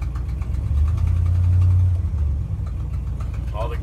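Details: 1972 Ford F250, original engine, about 120,000 miles: cold start with a deep V8 rumble rising to a fast idle then settling lower, steady firing without knocks or misses; normal cold start fast idle.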